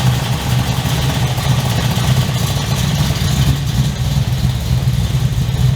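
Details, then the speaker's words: 355 stroker V8 in an HX One Tonner, restarted after 11 years unrun, Repco Engineering exhaust, recorded on a shotgun mic walking around: deep, even burble with a throaty growl, steady firing, no knocks or misses; loud but not obnoxious, healthy. "So I think the exhaust from Repco Engineering sounds amazing. I'm really happy with that sound. It's loud, but it's not over the top obnoxious loud."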